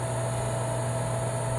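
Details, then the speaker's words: Meyer water pump, about 1.5 hp, with a broken cover over the centrifugal switch: steady low electrical hum and vibration, never winding up; the motor stalls, and starts only when the cover is held in place. "fíjate bien mira no arranca ahora mira cuando yo la agarro ahí mira como la bomba arranco perfectamente"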